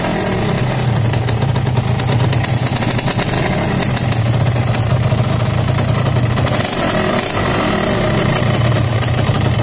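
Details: Yamaha RX King two-stroke at oversize 200 piston, six months after re-pressing, formerly pinging and knocking from loose piston in block; steady, even buzz, no knocking or pinging, runs smoothly before block replacement for high fuel consumption.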